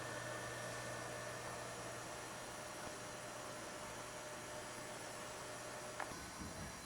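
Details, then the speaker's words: HP Pavilion Slimline s3600t (Q9300, 9800GT) with Shuttle PC50 300W PSU after the third 3DMark run plus Prime95. Soft steady airflow over a faint low hum, much quieter than the Sparkle 270W; normal quiet PSU fan under load. "you can see that it's a lot quieter than the Sparkles 270 watt"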